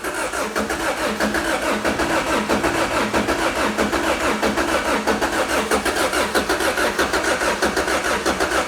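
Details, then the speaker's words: 2006 Lotus Exige (Toyota engine), salvage car that hasn't run for a while, on a jump box at 11.9 V: the starter spins steadily for nine seconds with no firing. It cranks but won't start; a lack of fuel or a fuel cutoff switch is suspected. "Hey, it's spinning over. It's going. It sounds like it wants to."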